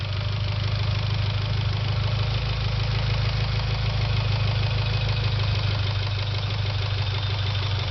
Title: Evo X ticking noise